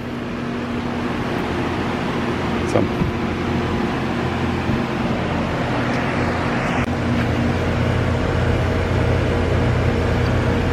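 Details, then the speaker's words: AC outdoor unit after a loud squeak complaint: condenser fan motor run on the capacitor with rotation corrected, steady even hum with no squeal or rubbing; sounds normal. "Alright, bump it on again. Alright, that's what we want. Sound a lot better."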